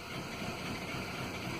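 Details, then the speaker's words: 2007 Vauxhall Vectra 1.8 petrol idling lumpy and uneven, no fault codes, lean exhaust; rough idle from a vacuum leak at a split vent pipe, lean running made the catalytic converter glow and overheat. "so i'll let you hear the engine first of all there wasn't any codes nor tell lies always when put for a lean exhaust and indeed the car was in Bali he explained the race the symptoms so you can hear it was uneven a though I"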